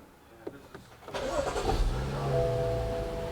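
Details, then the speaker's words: 2015 BMW 640i with intermittent no-start, after new battery fitted and charger disconnected: starter spins briefly, engine fires first try and settles into smooth, even idle; normal start. "Okay, so as you can hear, the engine is running."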